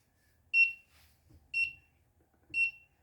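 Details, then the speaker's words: Stovetop monitor project built on a Particle Argon, with the stovetop left on and the temperature high: the buzzer sounds a sharp high beep about once a second in a quiet room, the audio over-temperature alert, with the status indicator red. "now hopefully you can also hear that that the buzzer is now opera now buzzing so we have an audio alert"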